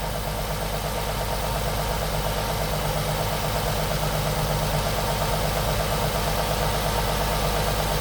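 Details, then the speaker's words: Nissan 350Z HR V6 after closing the two open bolt holes that caused hissing and unstable idle: steady, even idle with no hiss. "That's because those two [Music] bolts you need to close this. See now the RPM will be stable."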